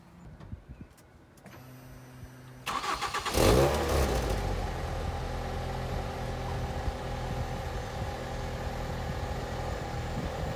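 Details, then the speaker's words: 2006 Ford Fiesta ST at idle after exhaust repair (manifold heat shield secured, back box welded, new 4-inch stainless tip): fires, blips once, then deep smooth steady idle with no blowing or rattle; quiet, smoke from the back box. "Quiet as a mouse now on tip over. Can't hear anything under that bonnet. I think I've done alright there with the exhaust notes."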